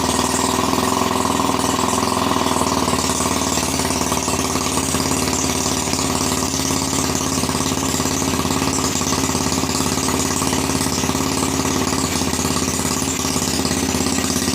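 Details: Honda Revo Absolute motorcycle, long unused, rebuilt with body wiring trimmed, no turn signals or battery, for palm plantation use; small single-cylinder putters steadily at idle with even beat and slight mechanical clatter; normal idle.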